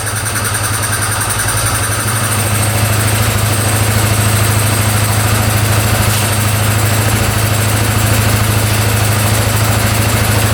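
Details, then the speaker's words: 2010 Polaris Sportsman 550 EFI ATV, running after cutting a clogged case breather line (owner suspects it was plugged): steady even idle, low thump about 200 a minute, returns to idle after revving, no stumbling; sounds good, normal idle. "Come right back down to idle. Huh? Well, I think we fixed it. We're let this idle for a bit, but yeah, sounds pretty good"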